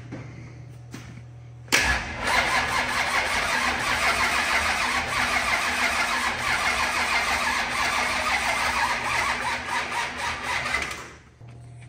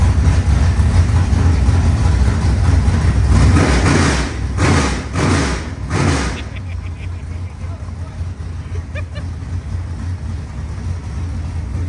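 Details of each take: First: 25-year-old SBC 400 small-block V8 race engine, freshly rebuilt, cranking evenly for about nine seconds without firing once despite fuel pressure and spark; plug was dry, and ignition timing turned out to be 180 degrees out. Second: Rebuilt 25-year-old SBC 400 small-block V8 race engine in a Chevelle: loud, lumpy, slightly high idle with quick throttle blips rising and falling cleanly; healthy.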